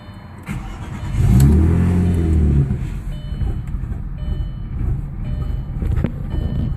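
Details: Audi B5 S4 cold start: the engine catches and flares, then settles into an uneven, stumbling idle with irregular low pulses; cold-start misfire.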